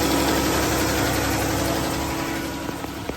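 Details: 2014 Dodge Charger 3.6 Pentastar V6 at idle, with quick steady ticking about four per second over a smooth idle; owner suspects the rocker arms, a common source of ticking on this engine, but the cause is not confirmed.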